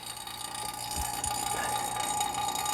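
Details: 2009 Toyota Corolla A/C service: vacuum pump running on the A/C system during leak check, gauges near -30; steady motor hum with wet gurgle at the pump's exhaust port and low thumps, which is normal.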